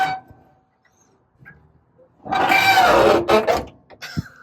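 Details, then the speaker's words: 1969 Volkswagen bus during Butty's Bits throttle pedal linkage install; a part groans loudly like a dinosaur for about a second as it moves; dry moving parts suspected, about to be sprayed with white lithium grease. "sounds like a freaking dinosaur man I'm going to spray this all down with some lithium see if it works"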